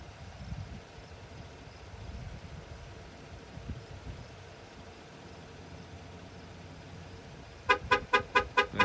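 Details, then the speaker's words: 2021 GMC Sierra 2500HD parked, key on or off: six short horn blasts, about two per second, in a quiet setting; horn and lights trigger randomly on their own, security system suspected, cause unknown. "what it's doing is it's sitting here parked key on key off doesn't matter randomly starts beeping the horn and flashing the lights like there's something going on with the security system"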